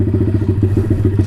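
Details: Taotao DB17 125 dirt bike after a carburetor upgrade replacing the tamper-proof carb, idle turned down, choke fully off, idled for a while. Quick, even single-cylinder putter with no misses or hunting: a normal, clean idle.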